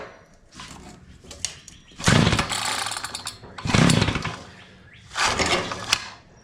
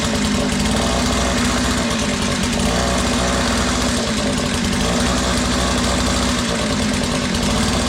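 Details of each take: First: Curb-find Mantis-style tiller, two-stroke Tecumseh engine, no-start: three pull-start bursts, each a rough rattling spin with a brief spit, never catching; engine cranks but won't run, feels like big compression, starter springs need cleaning so the dogs retract. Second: Curb-found Tecumseh two-stroke Mantis-style tiller, first start after fuel system cleaning, on choke: even busy buzz held ten seconds then clean cut-off; runs normally, though throttle not yet responding before carb adjustment.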